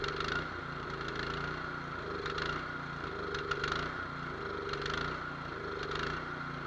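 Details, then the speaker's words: Nearly new, unused Cub Cadet 824 two-stage snow blower, 208cc, brought in as a no-start, started on choke: idle rising and falling about every second, never settling. Surging from a clogged idle jet, to be cleaned or drilled out. "We're going to be drilling out the idle jet on this one, or we'll just take it apart and clean it."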